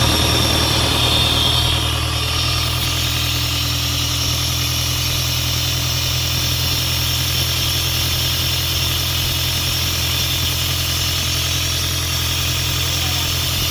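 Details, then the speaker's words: Isuzu 4LE2 diesel on an air compressor, now running after a no-start problem (smoke out of the intake while cranking, cylinder 4 blamed by others) and a cylinder head refit. Steady, even idle chug at about three beats a second, no misses or knocks. "bale Ito okay na umaandar na siya hindi kamukha nung pinuntahan natin ito na hindi talaga siya makuhang umandar"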